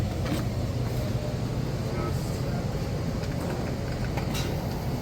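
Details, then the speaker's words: A/C condensing unit after pump-down repair, service valves opened low side first to return refrigerant: steady low hum with even rumble, refrigerant flow audible, no knocks or squeals; running normally. "so you can hear the flow now which is a good sign"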